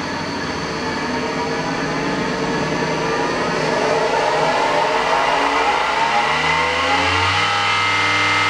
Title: Noisy Spindle